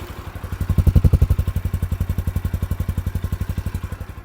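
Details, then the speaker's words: New 2024 Forte CKP 250 four-stroke single: deep, bassy thump at about four beats a second, even and steady with no knocks or rattles; healthy normal idle. "не знаю чи мікрофон передає досить вдало звук але він має такий басовитий Я б сказав би характер"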